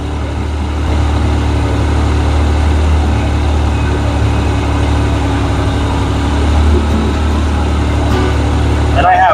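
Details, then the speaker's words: Yamaha YXZ1000R idling warm with a newly fitted fan reverse relay kit; fan override switched on manually, hot air blowing into the cab, even fan whoosh over steady low idle, no rattles: radiator fans running normally. "so if I turn the fan override on Watch what it does when I hit the fan override just make it blow in here manually"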